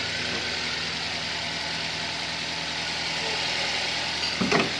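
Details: Toyota Avanza after the alternator diode was replaced to fix stalling and alternator noise: smooth, even idle with a steady low hum and no whine or growl from the alternator; the charging side sounds healthy.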